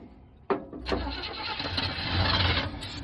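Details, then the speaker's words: 1975 Chevy C10 V8 sitting since 2003 restarted after 18 years: a click, brief crank, then it catches and settles into a rumbling, slightly uneven run; starts and runs pretty good. "Been sitting since 2003 and it started. Hit it up again. That thing runs pretty good."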